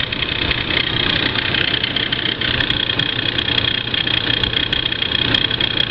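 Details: Ford Crown Victoria engine about 5 minutes after startup: a steady high-pitched whine over an otherwise even idle. Source not identified.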